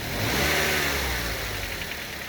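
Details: Mazda 6 GH 2.5i petrol engine, cold: a faint tapping knock over the engine note, loudest at 1300–1500 rpm, from the right-hand side of the engine; it fades to barely audible once warm.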